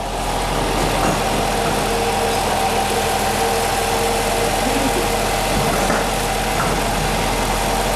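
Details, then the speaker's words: Right wheel hub bearing hum on a restyled Nissan X-Trail T32 with CVT (CVT vibration code P17F0, engine speed fluctuating at low speed): steady low drone under the engine note while driving, no knocks; worn hub bearing confirmed rather than CVT. "То есть у нас момент уже нашёл в принципе проблему тут гудит ступица правая в общем-то У нас есть шум"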